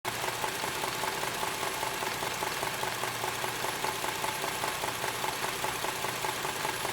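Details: 2001 Subaru EZ30 with 206,000 miles: steady rhythmic tapping about 2.5 per second over a smooth idle; owner suspects rod knock, not confirmed.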